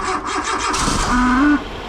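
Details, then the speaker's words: Nissan Micra K11 1400cc petrol cranking with a failing starter motor, before replacement: harsh rasping grind with a rising whine as the engine turns over. "Aujourd'hui, je vais changer le démarreur, parce que quand je démarre la Micra, ça fait ce bruit-là."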